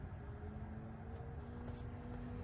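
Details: 2021 Tesla Model Y Performance, new, parked, not driving: steady transformer-like electrical hum with a thin whine creeping higher over low cabin rumble, worse with the air conditioner on; an earlier-built Model Y is silent.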